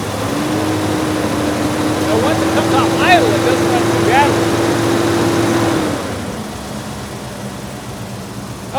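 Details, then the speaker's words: 1972 Mercedes 300SEL 4.5 V8, 75,000 miles, sat 12 years, after fuel system replacement, cold start: low drone with slightly uneven pulses; owner suspects dirty distributor trigger points and old gummed spark plugs. Rough idle. "we do have an issue with a little bit of a mess and I can almost guarantee you if I get into that distributor II clean those trigger points this engines gonna screw that we probably have old and gummed up spark plugs as well"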